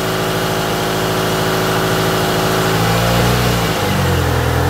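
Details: Toyota AE86 GTS running again after a cleaned, refurbished gas tank, new fuel pump and fuel filter were installed; warm-up with slight smoke: strong steady idle, a rev blip that climbs and settles cleanly, no stumble or knock. Normal warm-up idle.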